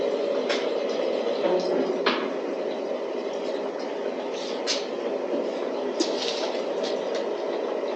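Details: DIY waste oil burner with diffuser disc fitted, flame reaching the top: steady hissing roar holding level with a few faint clicks; full, even burn.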